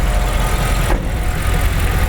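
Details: BMW X5 E70 N62 V8 after an engine repair to cure knocking: the engine idles smoothly with an even, deep, steady beat and no knocking or ticking, sounding healthy.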